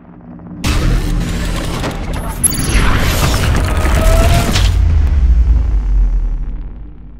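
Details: XYZ da Vinci 3D printer X axis: loud rough shuddering and shaking as stepper motor moves; belt suspected, but cause was an open wire to the stepper, found with continuity test at green connector.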